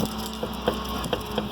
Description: Ларгус кросс (ноябрь 2018г.), устраняем подручными средствами стук (дребезжание, грохот) капота, отчётливо слышный на кочках.